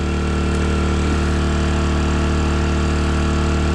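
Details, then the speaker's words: 800 W (1000 W max) 4-stroke gas generator in Thailand running a 5000 BTU upflow air conditioner, switched to Econo mode: steady even drone with no hunting or speed dip, no audible difference; it handles the load fine. "I didn't hear any difference, did you?"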